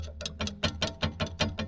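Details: Daewoo Lanos (petrol): sharp metallic clanks about five a second from the rear; owner traced it to a loose mounting bolt with metal spacer in rear suspension, fix by tightening, bushing or welding; metallic knock.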